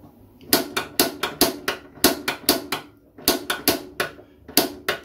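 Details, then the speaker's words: Potterton Prima B boiler pilot lit with piezo after refitting electrode: crisp clicks in quick bursts, four or five a second, then the pilot lights first time with a much bigger flame; normal ignition. "yeah it's lit you probably can't see that because of the light but it's definitely lit yeah you can see that flame a lot bigger now it was before it lit first time"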